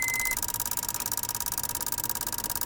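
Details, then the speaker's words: Honda Amaze petrol, ignition on, engine off, car won't start: rapid, sharp, even clicking about thirteen a second from the third relay in the fuse box, chattering because the ECM signal isn't passing properly; fuse box checked, ECM suspected. "आवाज जो आप सुन रहे हो ये relay की है first second third ये third number की जो रिले है इसमें दिक्कत मतलब ये ईसीएम से सिग्नल पास नहीं हो रहा है इसे प्रॉपर्ली जिसकी वजह से यह दिक्कत कर रही है"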